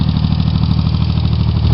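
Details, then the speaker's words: Chevy Sprint turbo 1.0 L three-cylinder (Suzuki Forsa) after head rebuild with ported head and straight pipe, idling: steady idle with light quick ticking at engine speed; valve clearances set loose, to be tightened. "The valves are set up loose on this engine. I'm gonna tighten that up once I play a little bit more with it."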